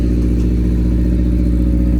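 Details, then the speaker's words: Honda EF hatchback with D16Z6 swap and new cheap open exhaust dumping over the control arm, first start without coolant, holding about 82–83 psi oil pressure: loud, raw, even rumble with no knocks or rattles; runs clean. "That sounds pretty good. Yep. That sounds pretty good. Let's go. Yo, that sounds pretty good."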